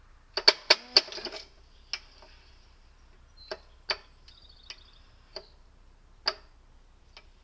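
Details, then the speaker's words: Wheel Horse 704 garden tractor Kohler engine, after refitting flywheel cover with new shorter bolts: sharp uneven clicks and snaps each pull, engine not catching; recoil pawls skipping over cup, starter off-center. "It's skipping teeth again. That's kind of depressing."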